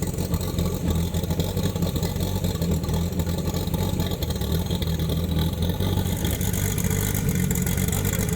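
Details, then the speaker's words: Chevrolet Opala SS turbo inline-six brought back to life after sitting, its camshaft having worn out from frequent demo runs: a deep, steady rumble with even firing and no knocks or ticks while revving; healthy. "Let's turn on this Opala For the Americans to experience the power of the inline 6 Came back to life again"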